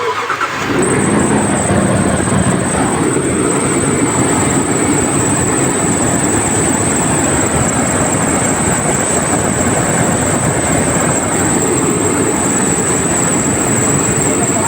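Engine revved hard and held, with a rough, dense clatter through the run and a thin high whine. Cause suspected, not confirmed.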